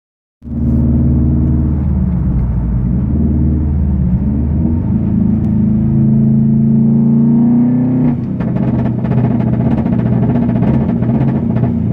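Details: 2011 Subaru WRX with front-mount intercooler drives fine, then misfires badly under boost and won't rev; no codes or logged misfires; cause was a leaking coupling at the intercooler end tank.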